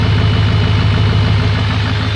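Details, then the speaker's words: 2017 Chevy Silverado 2500HD Duramax diesel, first start after installing a Banks Ram-Air intake and reconnecting the intake air temperature sensor; deep, steady idle with an even low thrum, no knocks or misses, running smoothly. "first start up since putting the bank's Ram air on go and everything looks good inside"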